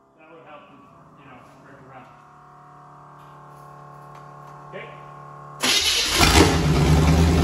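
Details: V8 turbo burnout-car build, first start before turbo fitted, no alternator belt: quiet, then fires abruptly and runs loud and strong with a quick rev, no knocks or misses; runs fine.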